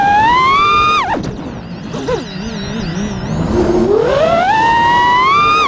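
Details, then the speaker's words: FPV quad after replacing two failing ESCs with DYS 35A units, hover/flight test: clean smooth motor whine rising and falling with throttle, no frame vibration, resonance or rattle; motors spinning faster, running normally. "so there you go it sounded 10 times better you can hear the motors are spinning faster the frames not vibrating anymore there's no resonating or anything it just it sounds good it's a lot smoother than what it was"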